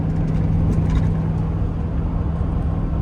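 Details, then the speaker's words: 2003 Chevy Express van after repairing a misfire caused by air sucked through a cracked intake manifold gasket: deep, steady rumble at full throttle doing 80 uphill with no stumble; pulls cleanly under load, fuel pump not needed. "Like, it's doing 80 uphill without a problem. He fixed it."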